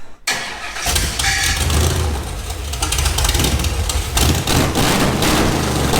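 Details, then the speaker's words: Project engine in off-road build, first start after a missing chassis ground for the fuel pump was fixed: catches on the first crank and settles into a steady, slightly lumpy, shaking idle with no knocks; normal start and idle. "that sounded amazing a little shook shaking a little bit"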